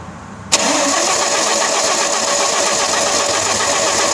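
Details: 1992 Audi 100 2.3E, 5-cylinder 2.3 L AAR engine with K-Jetronic, after a new fuel pump, plugs and filter: a long, even crank without catching; injectors 1 and 2 not spraying the same amount as 3–5, cause not confirmed.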